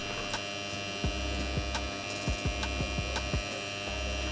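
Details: Kedr-Auto car battery charger plugged into mains, loud steady hum with buzzy edge and vibration; power transformer core laminations vibrating, later fixed, alongside a blown 0.1 µF input suppression capacitor.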